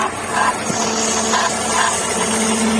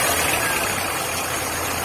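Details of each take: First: VW Gol G5 idling with a steady whirring drone and faint intermittent chirps; no play found, traced to the worn AC compressor belt, and the noise stopped after swapping the belt. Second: VW Gol G5 petrol engine idling steady and smooth with no squeal or chirp after replacing the noisy A/C compressor belt; noise gone.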